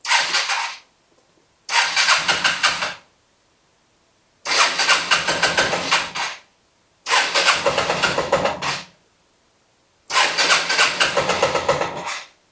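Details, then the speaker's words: 1984 Yamaha Riva 180 scooter after carb cleaning and reassembly: five cranking tries, each catching briefly then dying after about a second; still very hard starting but now fires, unlike before; owner thinks idle speed is the cause. "So, still very hard starting, but it does fire. Before it wasn't firing."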